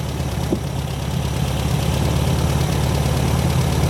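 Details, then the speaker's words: 1972 VW Super Beetle air-cooled flat-four at idle on first start after wiring repair: low, steady even putter, no knocking or misses; fan blowing hot air, alternator charging 14 volts; normal idle. "listen to her though i don't hear any knocking or nothing she sounds really good"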